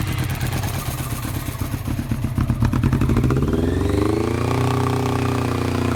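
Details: 1990 Honda CBR600F four-cylinder being revived, started on starter fluid with choke fully on; stumbles and clatters, then climbs to high choked idle that won't settle; owner suspects intake air leak at carb boots, erratic idle persists with choke nearly off.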